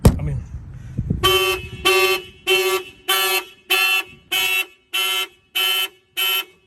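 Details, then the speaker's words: Mitsubishi Evolution 8 with a newly installed basic aftermarket alarm (Avatar 3100 remote, starter kill): a loud pulsed siren at about 160 bursts a minute, each a steady high tone, fired by the shock sensor when the car is banged. "If somebody bangs in the vehicle, the alarm will fire off."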